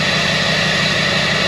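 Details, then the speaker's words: 2009 Chevrolet Silverado 3500 diesel, new 4-inch exhaust accidentally ordered without a muffler, plus a tune: a raw, loud idle with a sharp rasp and a steady low pulse at near-cold start after block-heater plug-in. Loud exhaust without muffler. "it's a four inch exhaust and i accidentally ordered the one without a muffler i haven't decided yet if i'm going to put a muffler on it"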